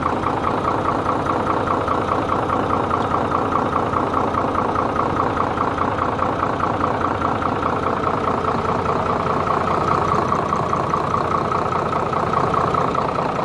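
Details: Hino J08C diesel engine idling steadily at an even beat, about two and a half pulses a second, smooth with no knocks or misses; healthy.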